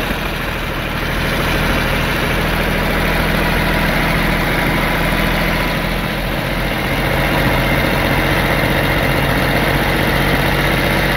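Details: D-Motor LF39 six-cylinder 125 hp engine on a demo test stand: even steady run at constant speed with a smooth deep drone, no misfires or mechanical noise; healthy engine.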